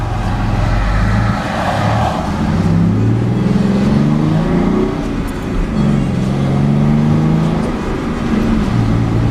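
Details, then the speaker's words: Mustang ("Black Beauty") accelerating on the road, heard from inside, after stock cats and resonators were refitted to its homemade dual exhaust, which was raspy above 25% throttle; smooth, steady note with no rasp, quite a bit quieter and better sounding. "Wow, quite a bit quieter. But that's okay, because at least it sounds a lot better."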